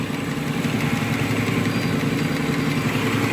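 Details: Nissan Murano V6 at idle with a slightly uneven, lumpy beat: P0303 misfire on rear cylinder 3 from low compression, diagnosed by relative compression test without removing the intake manifold.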